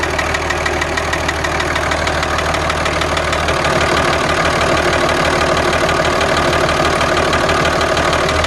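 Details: 2003 Dodge Ram 2500 5.9 Cummins diesel at idle: steady, fairly even knock about three a second over the clatter, sounding like piston slap; owner suspects the injector may still be leaking, unconfirmed.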